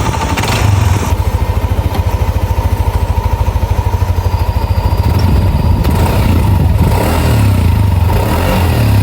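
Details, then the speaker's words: Yamaha NMAX scooter with a Juken ECU, after a major service: the scratched block and piston (stuck piston rings, oil passage problem) were replaced with a genuine set. It now idles with a steady, even thrum and a light rev; the earlier noise is gone. "Jadi langsung aja tadi kita lakukan pergantian dan alhamdulillah nih untuk hasilnya udah halus lagi buat bagian permesinannya. Udah hilang tuh yang tadinya berisik-berisik, udah nggak ada lagi."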